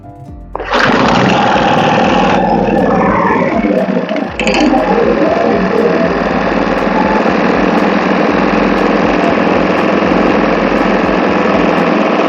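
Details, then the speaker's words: Restored abandoned four-stroke generator (rebuilt piston, crankshaft, carburettor, capacitor): catches within a second and settles into a steady, even drone with no misses or knocks; a hose is not good, carburetor may have issues; running smoothly. "wow okay did you hear that sounds that sound is so smooth"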